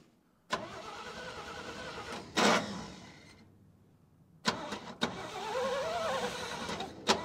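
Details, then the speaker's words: 1957 International Harvester A120 pickup, sat about 30 years, choke partly closed, starting fluid used: starter whirs in two stretches with a wavering tone but never fires; cranks but won't start, owner suspects bad coil or spark plug wires. "man it must be a bad coil it's got to be either bad coil or bad spark plug wires"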